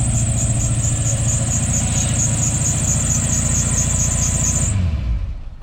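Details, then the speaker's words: 1991 Ford Mustang Fox body barn find after new fuel pump install and more gas added: engine runs with even, steady firing pulses and no misses, then cuts off; sounds healthy, no smoke. "Sounds good. Like sounds healthy. No smoking or nothing."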